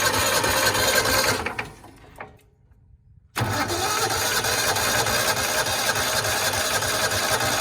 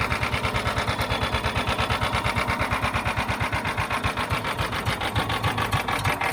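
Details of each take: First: John Deere Gator 4x2 that had not run in years, battery charged: steady starter churning at about three turns a second, never firing; cranks fine but gets no fuel, fuel pump suspected bad and replaced. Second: A John Deere Gator 4x2 that had not started in years, started on choke after its fuel pump was heard priming: a quick, even putter at steady idle with no misses or knocks. The small single is running cleanly.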